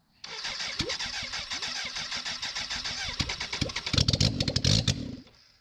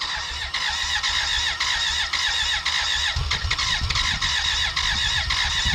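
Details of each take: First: 1991 BMW K100 LT, 987 cc fuel-injected inline-four, sat outside about 10 years, after head cleaning and reassembly, no muffler or radiator fitted: about three seconds of cranking, then catches and runs briefly, harsh and very loud from open exhaust. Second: 1991 BMW K100 LT, 987 cc fuel-injected four-cylinder that sat outside 10 years: a steady starter whir with a high squeal and uneven chuffs that never catch. A valve was sticking, dirt was inside, and an intake vacuum cap blew off. Crank, no start.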